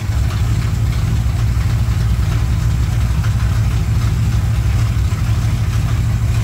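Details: 1987 Chevrolet K10 squarebody 4x4, V8 at steady warm-up idle on first start after head gasket replacement; started without much trouble. Steady, even low rumble, no knocks or misses. Normal idle.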